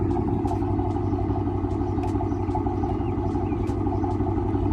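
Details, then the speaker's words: Chrysler 300C Hemi V8 with code P0306 (cylinder 6 misfire): rough idle with a sharp tick, small squeak and stumble about every half second, sputtering from time to time; owner suspects a bad lifter, cam chewed, not confirmed. "It'll sputter like from time to time. You can definitely hear it like in that. So, it's probably my lifter is probably [ __ ]"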